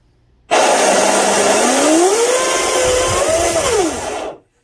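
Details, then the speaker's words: Delta Force 35 monohull RC boat after installing new 1/4" stuffing tube, greased 3/16" (.187) flex shaft and stinger; loud smooth motor whine rising and falling with throttle, no knocks or grinding, no heat in stuffing tube; a bearing possibly starting to go bad: normal flex shaft drive run. "pretty good no heat there"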